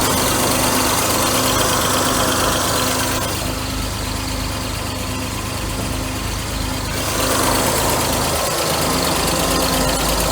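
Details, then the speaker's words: 1992 Mercedes W124 300E M103, first start after head gasket install: steady light ticking over idle, about four taps a second; new hydraulic lifters drained of oil, expected to pump up; air pump has noisy bad bearings. "the only thing i hear is a lifter we just got to get pumped up with oil they are new lifters but i'm sure they they got drained they'll fill up"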